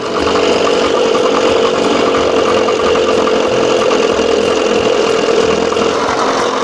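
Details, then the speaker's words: 1987 Johnson 6 hp two-stroke outboard, mixture screw 1.5 turns out, smaller jet fitted, just started: steady buzzing drone holding even pitch with no misses or surging; normal clean idle. "Woohoo! Boy, she sounds good."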